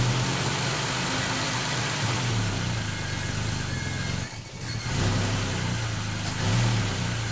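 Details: 1969 Volvo 164 freshly rebuilt engine at first start, ignition at 16° BTDC, revved to seat the new rings: smooth, even idle that climbs cleanly with each throttle blip and settles back steadily; normal running.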